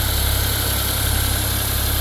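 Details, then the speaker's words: Car with a heat complaint, on first start after a new drive belt was fitted and coolant refilled. The system likely has an air pocket, with bubbles rising in the reservoir. Steady, even low idle with no knocks, ticks or belt squeal: normal idle. "Well, let's start it up. Make sure everything seems okay with the belt and whatnot."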